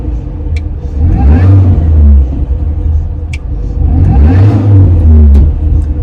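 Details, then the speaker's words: 2005 R53 Mini Cooper S, supercharger serviced and regasketed and timing chain replaced earlier, with lack of power: two rev-ups with a deep droning rumble swelling with engine speed and fading on lift-off; noise persists, source unclear. "quite clearly here it's still making that uh making that noise so uh I'm not quite sure what that is anyone had to this issue with a mini before"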